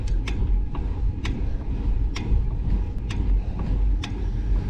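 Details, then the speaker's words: Bike being ridden: sharp, irregular ticks about once a second over heavy road and wind rumble, seemingly from the front wheel and worse when pulling on the handlebars; front-end knock, cause not found. "My bike's making this knocking noise. I don't know why, I don't know where it's coming from. It sounds like it's coming from the front wheel."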